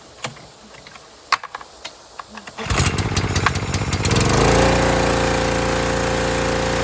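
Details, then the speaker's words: Harbor Freight Predator pressure washer after adjusting the unloader set screw with a socket wrench: a few clicks, then the engine starts and settles into a steady, even drone with no hunting or surging; adjustment made a big difference, normal running. "so you can see when I adjusted the unloader it made a big difference I'm probably going to play with it a bit"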